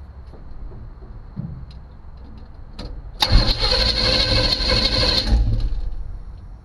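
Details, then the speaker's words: 1976 Chevy Chevelle, spark test with screwdriver in the plug wire: starter churns about two seconds with even compression pulses but never catches; no spark, no ignition. "we have no spark so no ignition"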